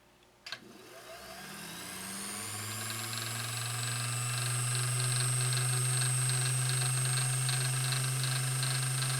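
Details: Vintage Singer 201-2 sewing machine (Carol's) after restoration, spun up with the bobbin winder engaged: the motor reaches a smooth, steady, even hum with a strong, clean tone and only a slight speed drop under the winder load; a meaty, strong, healthy motor.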